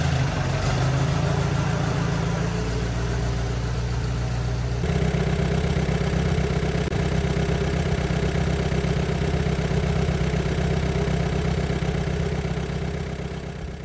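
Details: 1944 Allis Chalmers B tractor, sat many years, restored, repaired starter: engine catches from cold and settles into steady even idle with no misses or knocks; normal cold start and idle.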